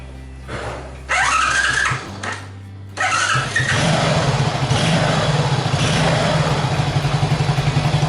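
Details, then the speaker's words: Honda Super Cub with a new starter motor, back in for slow cranking, cold start after sitting three days. Starter whirs in short unhurried bursts, then the single fires and holds a steady idle; cranking slightly slow but judged fine. "Slightly slow? Well, it should be fine. Well, it's OK if it start once."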